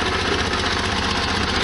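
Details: 1973 VW Super Beetle, warmed up after a short drive, following exhaust gasket modifications to the heater box connections: a steady, even idle with a soft, regular chuff and no ticking or puffing from the exhaust joints. Sounds healthy and smooth.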